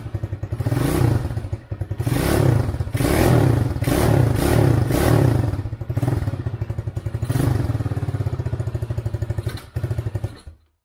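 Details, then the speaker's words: Chinese ATV standing over six years, homemade harness, cold engine: lumpy single-cylinder thumping that surges and sags, then dies away when choke is taken off; cold engine stalls without choke. "I took off the choke and then it dies out, but it runs, which is a huge accomplishment after how long it's been sitting"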